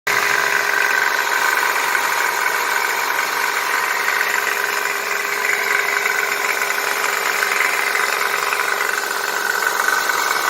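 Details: 1999 Chevy/Geo Prizm (Toyota Corolla) idling: light uneven metallic rattle from the passenger-side power steering pulley, slightly loose; fixed by tightening it.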